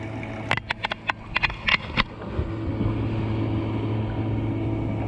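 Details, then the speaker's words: 12V 3A bilge pump rated 750 gph, run from a 12V 1.3Ah lithium tool battery in a kayak: a few clicks, then a steady low even hum moving water; it picks up less water until the rider leans back and the water shifts aft. "you can hear the pump isn't getting as much water as it should but when I lean back and the water goes to the back it inactivates or it activates back on that pump"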